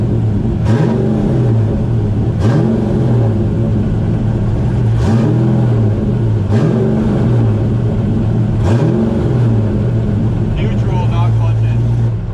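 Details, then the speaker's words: Drift car engine revved in neutral, clutch out; the noise goes away with the clutch in: low rumble and whir following the revs; transmission noise suspected. "Um literally just got done with the eye last set of tires. Well, I have more sets of tires, but I'm going to call it my trans is making noise."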